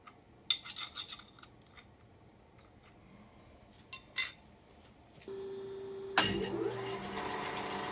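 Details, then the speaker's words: Kearney & Trecker universal milling head with newly made drive gear; after clinking, the drive spins with a steady mid-pitched whine and gritty rasp, no discernible vibration; gear teeth suspected meshing too deep, contacting the root. "well there's no real change in the sound and again the video is a lot worse than what I'm hearing in person I do not feel any vibrations at least not discernable vibrations in the bracket or the machine or anything around that gear so I'm not exactly sure where this noise is coming from"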